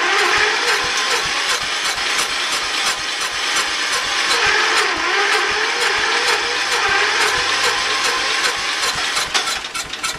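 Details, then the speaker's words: Early-1980s Ford LGT120 tractor, Kohler K301 12 hp single-cylinder, new piston fitted, weak battery: slow laboured cranking about ten seconds with uneven chug, no clean catch; hard starting warm or cold. "we just put a new piston in there and uh it starts really hard"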